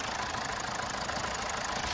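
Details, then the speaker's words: 2016 Mazda 3 2.2 Skyactiv diesel, running on four cylinders after an intake manifold clean and injector work, but still not right. Uneven, lumpy idle with a dull knocking beat over a hiss; rough running. "there's no point me telling you it's running right it's not it's running on four cylinders which is better than where we were at"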